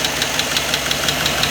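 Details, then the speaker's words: Chevy Silverado 4x4 after engine swap (old engine blew its head gasket), first run just after startup: sharp even tick about six a second over idle, following engine speed; top-end ticking hoped to clear as oil reaches the top end. "We'll let it just get some heat in it. It's getting some oil up to the top end, all that jazz."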